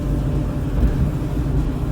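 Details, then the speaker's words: Dryer about 15–20 years old after the drive-system repair (idler pulley removed), run empty so the heating element comes on: a low, even drum rumble with no squeal; it sounds normal. "dryer sounds normal Now operate it with no clothes to allow the heating element to turn on"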